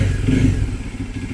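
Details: Bajaj Dominar 400 after bracing a front panel to cure vibration rattle: even engine beat with low throb settling after a blip, no buzzing or rattling from the panels; fixed.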